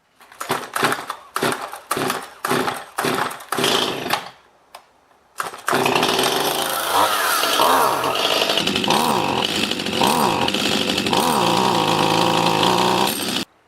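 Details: Stihl MS211 chainsaw, not old, carburetor already cleaned, rebuilt and adjusted: surges and dies in short uneven bursts about twice a second before holding a rough high rev; bogging and hesitation, carburetor to be replaced.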